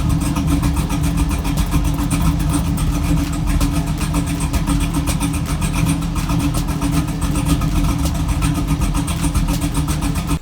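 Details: 2002 Chevrolet Camaro SS V8 idling after a faulty idle air control valve was fixed: deep rumble sitting very low and slightly lumpy, barely holding idle, because the existing tune was set too low.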